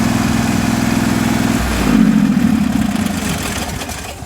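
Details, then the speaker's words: John Deere 316 with a swapped-in 18hp Briggs & Stratton Vanguard V-twin, after carburetor repair so it runs without choke and the fuel shutoff solenoid works: strong even beat at high RPM, then a clean settle, no backfire or misses. "It's here at high RPM. This thing sounds great. man, this thing runs good now."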